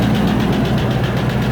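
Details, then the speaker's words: 1994 Range Rover Classic V8, cold idle: fast even tick over the rumble tracking engine speed; owner suspects cam or hydraulic tappets, oil pressure light off, exhaust blow also present; cause unconfirmed. "Got a big problem with cam or hydraulic tappets."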